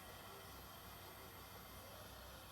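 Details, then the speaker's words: Akai SS023A-X10 rechargeable speaker at low volume on Bluetooth, present since new on all sources: steady, even hiss with faint low hum and no program sound; owner suspects grounding or shielding, unconfirmed. "big hissing sounds like here now bluetooth i don't know if you can hear it so how can we fix this that's my question i have for uh somebody out there"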